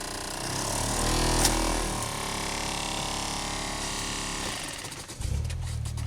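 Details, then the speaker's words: Saab in winter, blower motor was jammed by ice and freed; rapid irregular rattling and ticking over the blower whir, about four hits a second, dashboard shaking, then quieting; ice debris thrown around in the fan housing. "The whole dashboard's shaking. You can hear things flying around."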